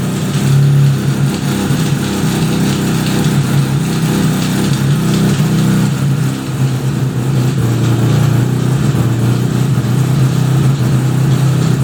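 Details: 1975 Suzuki RE5 after full restoration: a steady low engine drone with a faint underlying mechanical rumble; abnormal transmission noise, cause not yet pinned down, engine to be removed to inspect the transmission internals.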